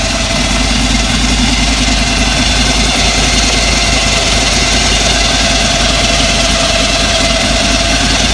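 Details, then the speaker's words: 1933 Ford pickup hot rod, crate 350 Chevrolet V8 with BDS 6-71 blower, twin Holley 600 carbs, Voodoo cam, MSD ignition, just started: smooth, even idle with thin steady blower whine, no misfire or knocks; healthy supercharged idle. "And there's that beautiful supercharger whine that's, again, just absolute music to the hearts, to the ears of any car guys out there."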